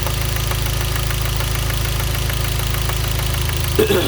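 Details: Hyundai Genesis 2.0T at idle: sharp, regular deep metallic rod knock about four per second from a spun bearing, caused by a faulty oil pump; no oil pressure warning and no limp mode were triggered.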